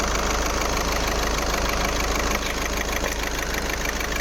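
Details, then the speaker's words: Skoda Rapid diesel idling with glow plug light blinking and long cranking: rough uneven knock about three times a second; cylinder 4 dead from faulty injector, confirmed by unplugging connectors, code P0204. "Lane engine misfire इसकी वजह से हमारा cylinder काम नहीं कर रहा इसकी वजह से इंजन मिस फायर हो रहा है"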